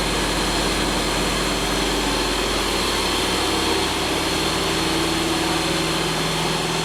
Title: Rotax 912S, first engine start on test bench after engine overhaul.